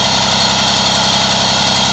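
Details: Small two-stroke Moby moped ticking over at a steady, even idle with no click or rattle after refitting the variator with a 4 mm shim, which removed the side-to-side play and rattling noise.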